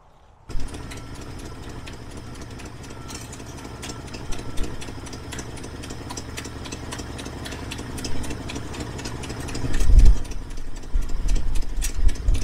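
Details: 1968 Ford Ranchero, long off the road, just started on a chilly morning before warm-up, idle low; uneven idle with sharp ticking puff each beat, louder near manifold; exhaust donut gasket leaking badly.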